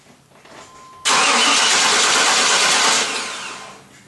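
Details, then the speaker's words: 1995 Chevy Tahoe with a 5.7 TBI engine that cranks but won't start: the starter cranks about two seconds with compression evident but it never catches, with no fuel delivery from a failed fuel pump relay. "Well, she's cranking. I can tell from the sounds that it has compression. So I don't think we have a mechanical problem with the engine."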